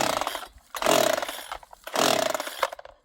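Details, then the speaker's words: Vevor 62cc budget chainsaw that started missing and quit while cutting light wood: two rasping pull-starter strokes with no firing or catch. The owner says it blew up and locked up, smoking after getting hot. "It's not running hot or anything. It starts missing. And now, when you crank it, it's just like, listen to that."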